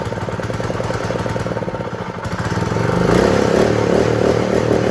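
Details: Honda GX120 small engine that wouldn't start, after moving the throttle spring clip: steady even single-cylinder thump that picks up smoothly when throttled; runs clean and healthy.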